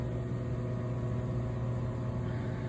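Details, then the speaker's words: 2003 Ruud Achiever 90 Plus furnace: constant low electrical hum with no rush of air building; failing blower, owner suspects the capacitor rather than the motor. "the blower I don't know if it's the blower capacitor or the motor itself but something is not working right and it's been making this uh humming noise I think it's the capacitor likely"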